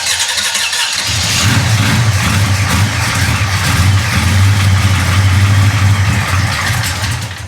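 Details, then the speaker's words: 1966 Chevy Impala with 427 big-block V8 that ran poorly on its last drive; starter cranks strong and even at about four turns a second, steady note, no grinding or clicking, while timing is adjusted before a start attempt; starter healthy. "How good does that starter sound, though? Oh, I love that starter."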